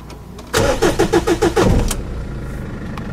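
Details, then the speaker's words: Jeep Liberty after a breakdown left it stranded: about six quick cranking beats, then it catches and settles into a smooth, even idle. Normal start. "so started right up sounds good"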